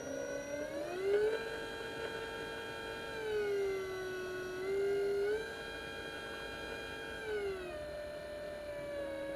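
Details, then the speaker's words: DC motor with a speed controller (throttle) at 12 V: a clean, steady electric whine rising and falling in pitch with motor speed, caused by the controller's switching frequency, which depends on its design; normal motor and controller whine. "ลองฟังเสียงบางตัวก็จะมีเสียงมาตัวไม่มีเสียงนะครับขึ้นอยู่กับการออกแบบคือผลิตความถี่นะครับเสียงทีวีนั่นก็คือความถี่นะครับ"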